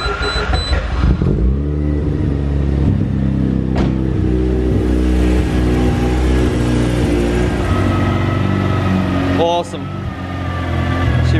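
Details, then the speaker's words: Mazda 13B rotary from an RX-8 in an E36 drift ute, start after oil cooler install: fires after a short crank and settles into a lumpy but steady rotary idle, no knocks or rattles; no oil leaks, normal. "well nice and warm now no oil leaks which is nice fantastic man god i love this thing"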